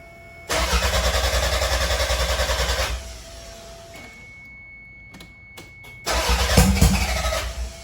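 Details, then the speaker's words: 1993 Toyota MR2 with 3S-GTE Gen5 engine swap, first start after build: starter churns a couple seconds, pauses, then catches and fires with a rough uneven burst; check engine light on, some smoke, it starts. "I heard it pop. So it started. I got the check engine light on."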